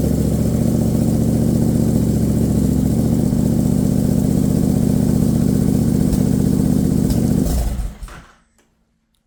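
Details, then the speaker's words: Triumph Bobber motorcycle just after flashing a new fuel trim map with TuneECU in preparation for more boost, start check: even, steady idle with a regular low beat, then a clean shutdown; normal start and idle. "so now that's flashed onto the bike and I'll try that on my way to work in the morning so I'll just make sure it starts"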